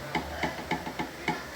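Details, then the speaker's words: Knocking from a Citroën shock absorber worked by hand after removal: sharp hollow knocks about four per second from play in the damper shaft, the same noise the car makes when driven; the source was not found with the car lifted. "e quando anda faz esse barulho aqui ó ó e é esse barulho exatamente que faz no carro"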